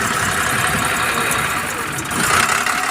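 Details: Tadano crane (PNR1) diesel with a hard-starting complaint idles unevenly, the beat stumbling and popping irregularly instead of a steady chug; sputtering rough running, cause unknown.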